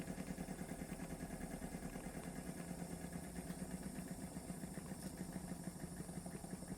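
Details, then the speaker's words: Wilesco D455 toy steam engine run on two fuel tablets, quiet, reverses straight away; soft, even chuffing at a steady slow beat with no knocks or clatter, slow running like full-size museum engines, a sign of an unworn engine. "If you ever go to a steam museum, this is the speed the steam engines are running. The full size ones, they're never roaring away."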